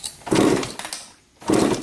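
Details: 2003 Suzuki RM125 two-stroke dirt bike, bought as non-running, red fuel in tank, kick-started before any work: two short buzzy firing bursts with a dip between; engine catches and runs only briefly.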